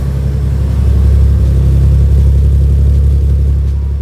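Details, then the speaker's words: 1990 Nissan 300ZX after fuel line replacement, third start try after taping things up: deep steady idle rumble with an even pulse, no hunting or surging; now idles smoothly, much nicer than before. "ready yeah look at how much nicer oh wow yeah way nicer don't worry"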